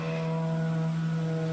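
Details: Race car, newly installed electric water pump on a 30 amp fuse, switched on with the key: low, steady electric hum with no rattle or surging, running smoothly and quietly as it should.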